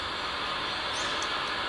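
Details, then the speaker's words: CB radio on channel 16, main antenna, before MFJ-1026 noise canceller adjusted: constant hissy rushing static with buzzy edge and no signal; receive interference noise. "can hear all that noise for me through radio and married babies on the year signal meter"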